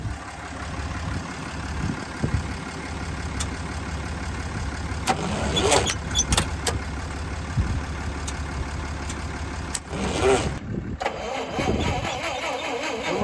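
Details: Lull machine, sat all winter, after fitting slant six electronic ignition module and distributor, primed with fuel: starter churns steadily for several seconds with occasional catches but no sustained running; cranks but won't fire.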